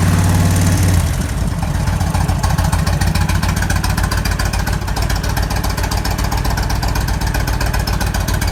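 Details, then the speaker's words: 1998 Kawasaki Vulcan 1500 Classic V-twin, cold start at about 50°F after sitting a couple days, after case bearing and needle bearing repair: even steady low thump, the earlier rattle gone, clean idle. "let's start it up cold start i haven't run in a couple days it's not too cold in ohio probably about 50 degrees"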